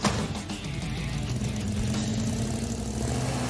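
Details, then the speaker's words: '69 Dodge Charger Daytona clone, 383 V8, after distributor reinstalled and timed 12° initial, 30° total: steady even idle with deep regular beat, no misses or stumbles; finally runs smooth. "We stabbed that distributor in there. I timed it to 12° initial, 30° total. Pretty conservative. It finally runs smooth."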